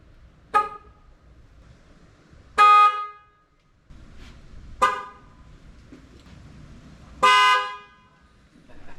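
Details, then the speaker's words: Jeep Commander, about 20 years old, with newly installed Fiamm horns replacing weakening originals; four loud, clean honks, two short and two longer, steady pitch without rasp; horns work properly. "I already tested it. Sounds good. Let me let you guys hear it now."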